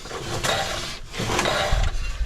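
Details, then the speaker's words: 1962 Ford unibody V8, long parked, being turned over by hand with some compression felt; dry rasping, ratcheting whirr like winding a spring each turn, cause unclear, possibly the starter. "I want to know what that sound does yeah that's weird I've never heard a sound like that come out of a V8 motor it's strange I don't know sounds like you're winding a springer"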